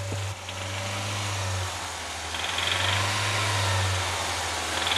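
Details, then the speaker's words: Engine idling with a dull, repeating knock under the hum, heard from above and underneath; caused by excessive wear on the connecting rod bearings; rod bearing knock. "Pete wasn't wrong that knock came from excessive wear on connecting rod bearings something like this from above the engine"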